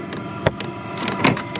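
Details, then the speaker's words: Chinese diesel heater in a truck camper in winter, heard near the fuel tank, pump and filter: sharp little ticks a bit under a second apart over a faint hum; the fuel pump clicking normally. "You can hear that click, that means the fuel pump's working."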